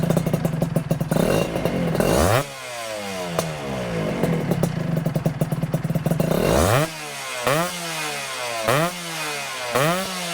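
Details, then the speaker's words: 1996 Honda Nova Dash 125 two-stroke with a new WRC full titanium exhaust replacing a loud straight-through pipe. Crackling pops through several quick throttle blips, then it settles to a clean, even idle, still a bit loud; normal idle. "so you can hear it's still a little bit loud but it idles really nicely it sounds much much nicer"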